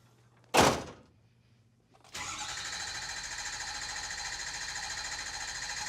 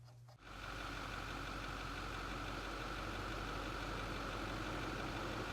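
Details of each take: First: 2008 Ford F-250 6.4L Powerstroke diesel after replacing an injector plus oil and fuel filters, for low power and rough running: sharp clunk, then busy crank-and-catch with injector chatter dropping into an even, quieter idle; starts fine. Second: 2008 Ford F-250 6.4L Powerstroke V8 diesel idling with slightly uneven loping clatter from one misfiring cylinder; complaint of low power and rough running.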